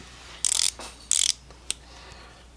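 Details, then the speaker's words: Tekton folding ratchet, swung back and forth: short bursts of fine, even clicks, smooth healthy pawl action; normal ratchet clicking. "this is 80 tooth right here look how smooth that is oh my god look at that if you guys can't hear that that's how some boot it is"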